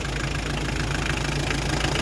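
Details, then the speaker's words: Hyundai Terracan 2.5 diesel D4BH, started after reassembly to cure an engine knock: steady, even diesel clatter at idle with no knock standing out. The knock is gone and the engine idles smoothly, as before. Normal idle. "Ну вот всё работает, всё нормально, ровненько."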